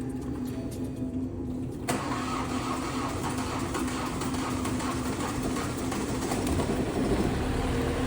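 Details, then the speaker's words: 2019 BMW 530 (G30) B-series engine, run with no coolant after an oil filter housing coolant leak, components melted from overheating: about two seconds of labored cranking before catching, then a rough uneven idle. "barely starting really struggling to start this is how it came to us no coolant whatsoever really rough shape massive heating issue"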